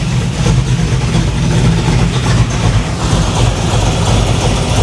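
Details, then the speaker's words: 500hp 1987 Chevy Monte Carlo SS on first start-up, choke opening, tailpipe removed: deep loud V8 idle with an even lumpy burble and small rev swings; normal idle. "She sounds all right. We'll have to clean all this stuff off if we're going to take it out for a ride. But I mean, it sounds good."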